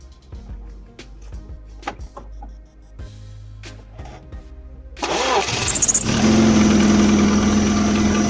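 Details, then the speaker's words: Engine cranks and fires with a sharp, high drive belt squeal as it catches, then runs steadily; squeal at start happens in sub-zero cold when the belt rubber hardens and slips on the pulleys. "не появляется посторонний звук звук может быть при старте вот как на данном примере"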